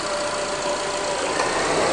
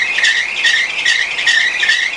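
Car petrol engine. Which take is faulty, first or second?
second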